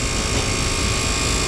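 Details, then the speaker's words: Brand-new refrigerator, condenser fan motor running after being plugged in; loud, constant droning buzz with a rough vibrating edge, the fan motor is out of balance. "let's plug it in and see if we can hear this noise uh that's coming from the condenser fan motor"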